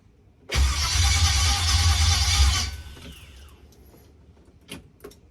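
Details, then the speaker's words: Junkyard-rebuilt LS (LM7) V8 swapped into a Jeep, on the original fuel pump: starter churns steadily about two seconds and never catches, no pump hum; fuel pressure reached 90 psi but would not hold, bad fuel pump suspected. "okay so it is getting up to pretty high pressure but it's not staying at high pressure"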